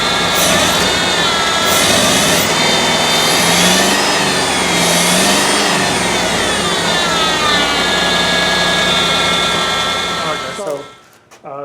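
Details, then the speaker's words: 1984 Rolls-Royce Corniche after a head gasket replacement, where the two rear cylinders had been dead: it starts a bit rough, then balances into a steady, nearly smooth idle with a faint occasional stumble. The owner attributes the hesitation to injectors that are still clogged. "see it starts off right but then it starts to balance out and what that tells me is that the fuel injector are still clogged but once it balances out you know it's running pretty smooth and it's idling pretty smooth"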